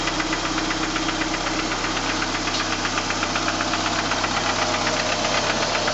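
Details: 1989 PGT with suspected rod knock; sharp, regular knock about four per second over the idle, steady, bottom-end knock with cause unconfirmed.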